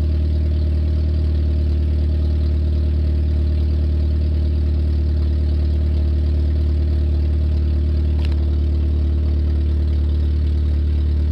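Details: 1994 Nissan Sentra four-cylinder, exhaust removed to fix a leak at the catalytic converter heat shield area: loud raw idle with deep throbbing rumble, running with no exhaust fitted.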